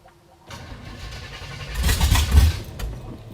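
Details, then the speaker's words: 1955 Chevrolet Bel Air, sat for years: engine catches and fires roughly for about two seconds, then dies, after earlier backfiring flame. Starts but won't keep running; a faulty carburetor is suspected and a replacement is planned. "We have made it start. The running thing is a bit of a problem, though."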